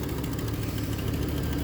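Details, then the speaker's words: Aluminum 5.3 V8 from a 2003 Chevrolet Trailblazer, first start after sitting uncovered, dead cylinder noted: light even ticking over steady idle, following engine speed; valve train ticking, suspected stuck lifters. "sounds like a couple lifters are stuck. But hey, it does fire up. Yeah, it sounds like a couple lifters are stuck."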